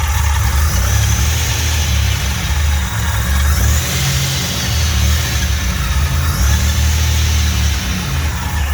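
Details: Fully built 3800 V6 race engine on its first start after the build, fresh coolant fill: deep, even engine note rising and settling with the throttle, no knocks or ticks, no leaks; normal, healthy revving.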